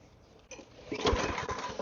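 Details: Lawn mower that had leaked gas and has spark. Catches with a few ragged, uneven firing pulses for about 1.5 seconds, then dies. The owner suspects something else needs cleaning; cause not confirmed. Fires briefly then dies.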